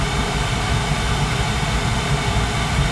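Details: Carlin gas conversion burner on a boiler that had been tripping safety reset; even steady roar, deep low rumble, no surging or fluttering; running smooth now, possible dirty flame sensor, gas valve, motor or erratic control suspected.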